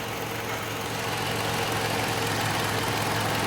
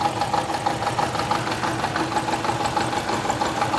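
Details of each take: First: 2012 Toyota Camry petrol engine idling smoothly and evenly after misfire repair (cylinders three and four weren't firing), no misses or stumbles. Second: 2012 Toyota Camry petrol engine at idle with a severe misfire: a rough, uneven idle stumbling about three times a second; cylinders three and four were not working.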